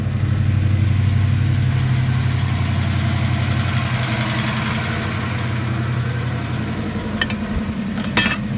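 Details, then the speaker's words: Mustang 5.0 V8 (Trick Flow Track Max cams, makeshift intake tube) started for the first time in a long time; deep steady idle with slight cam lope, even firing, no knocks, ticks or misses. "should start up real quick let's see what we got there you go [Laughter] burn like a kitten"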